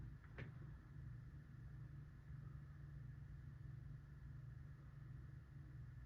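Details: Litex Starlite ceiling fan dated February 1990, 16-pole motor, four blades, on low: low steady hum with a faint slow wobble and little airflow; turns under 400 rpm on high (about 385 versus 450 max), owner suspects bad bearings.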